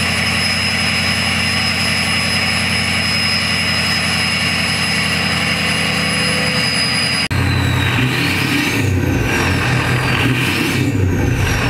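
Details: Ford 6.0 Powerstroke diesel with Gearhead tune, after installing a KC Turbos 10-blade turbo, revved from around 1,000 rpm: steady high jet-like whistle climbing and falling with each rev; normal turbo whistle.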